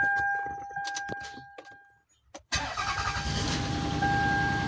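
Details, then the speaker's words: Toyota Sienna that cranked but would not start, after reconnecting the crankshaft position sensor wire: starter whirs, engine catches cleanly and settles straight into a steady, even idle with no stumble; normal start. "so you can see right now that after I installed the crankshaft position sensor wire, the engine is now also running."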